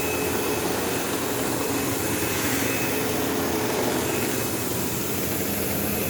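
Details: Sebo Automatic X5 upright vacuum running on carpet: loud steady drone with a thin high buzz and occasional squeal throughout; belt had tension, owner suspects worn brush-roll end pulley seats letting the brush roll play and vibrate.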